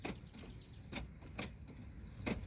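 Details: 2018 Nissan Altima passenger front door with the panel refitted. Pressing the power lock gives a few sharp isolated clicks with no solid lock thunk, and the latch moves only slightly. The lock works manually, so the door lock actuator is too weak to push or release the latch.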